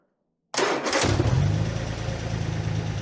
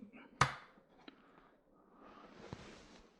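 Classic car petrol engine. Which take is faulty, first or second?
second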